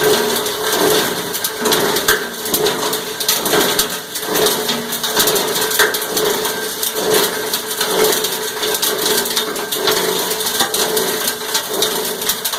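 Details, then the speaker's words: Cumberland 7.5 hp granulator, 12x12 chamber, grinding about 10 lb of stranded insulated copper wire: constant uneven crunching and clattering, motor surging roughly once a second under load; normal grinding. "Alright, we ground about 10 pounds of wire. A little bit more noisy when it's grinding. And you can hear it surging as it's rolling it around."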